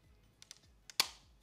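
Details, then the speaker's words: Yashica 200-AF autofocus SLR (1980s, owner notes it is already broken) while loading film: a few light clicks then one sharp loud snap; film loading mechanism not cycling cleanly. "that didn't sound very good hopefully the camera is okay well I mean it's already broken"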